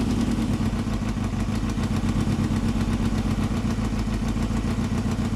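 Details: 1995 Yamaha FZR 600R at idle: fast, light, steady ticking over a smooth four-cylinder idle from the top end; owner suspects timing chain and tensioner, unconfirmed.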